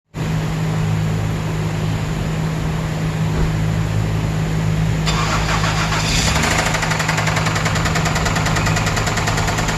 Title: THIS IS WHAT ROD KNOCK SOUNDS LIKE